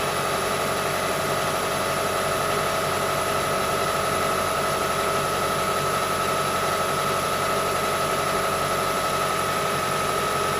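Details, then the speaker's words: Engine idling after replacing the noisy drive belt tensioner, idler pulley with worn bearing, and belt: steady even idle with a faint constant high note, no chirp, rattle or grind; noise gone, slight new-belt squeak expected to fade. "So the noise is gone, like the noise before. Now I try to rev up and to listen the noise. All good, guys."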